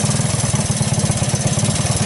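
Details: 1984 Honda ATC 200S single-cylinder ATV, just started on starting fluid through the choke: about ten beats a second, slightly uneven and chuffing, smoking; rough idle, not yet settled, owner unsure whether it will clear.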